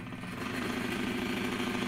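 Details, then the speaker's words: Broan-Nutone 684-D/2684F-A bathroom exhaust fan motor with a lot of up-and-down shaft play, no side play: harsh steady buzzing rattle over the fan hum; worn motor bearing. "there's a lot of up and down play in that motor shaft i don't feel any side to side play"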